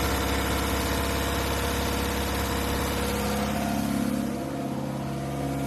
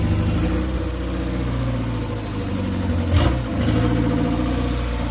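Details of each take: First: 1969 Ford Capri, replacement carburettor with smaller choke, choke on: uneven idle, steady low drone that sags and changes note midway, as if fuel-starved; poor idle, idle screw/mixture suspected, unconfirmed. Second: 1969 Ford Capri after fitting another carburettor with smaller choke: steady even low idle, smooth unbroken rhythm, no knocks or stumbles; normal idle, runs much better.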